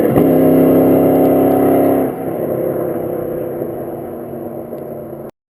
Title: 1996 cobra exhaust leak